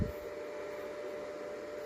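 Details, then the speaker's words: Greencell 1000 W hybrid solar inverter in a garage: steady loud fan whoosh with constant high whine from cheap stock cooling fans, factory-loud; fix is replacing the two fans. "it's kind of fine but it's noisy I don't know if you can hear it but it's [Music] noising I have it in the garage now and if you stay outside inside the garage it's like a factory in here"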